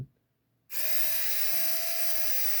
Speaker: It sounds faster. You can hear the changing RPM.